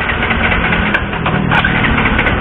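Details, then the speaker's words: Warmed-up motorcycle engine cranked on the starter with a compression tester in the spark plug hole: even, unbroken cranking with steady compression pulses and no hissing leak; compression normal. "Nah, jadi kompresi sepeda motor ini normal ya."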